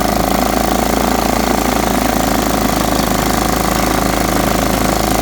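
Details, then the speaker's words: Riding mower after freeing a carburetor float found stuck shut and letting the bowl refill: steady, even chugging from the small single-cylinder engine at constant speed; running smoothly again. "So, watch, I'm going to turn the fuel on. So we're getting fuel."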